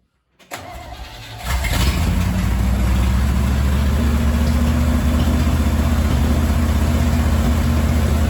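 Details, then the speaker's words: 1968 Chevy C-10, 307 V8 sat about 30 years, after carburetor cleaned and filter cleaned: cranks briefly, catches cleanly and settles to smooth steady low idle; runs and drives but smokes a lot. "Okay, that was a little brisk, but it runs, it drives, and it smokes a lot."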